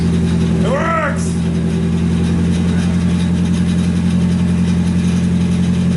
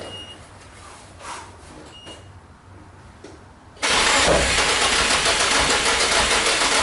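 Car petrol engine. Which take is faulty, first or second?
second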